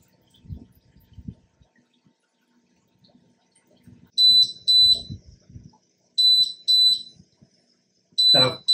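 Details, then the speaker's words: Aquarium sump water level sensor demonstration: shrill high beeps in pairs and triplets amid handling noise as the float-switch alarm warns of low water, just under one gallon removed; alarm also sends a phone app alert. "can you hear that the beeping that's not quite it's not quite even a gallon of water and already the alarm is beeping telling me that I need to put in about a gallon of water"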